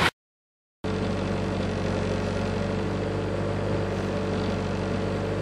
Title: 93 civic knocking sound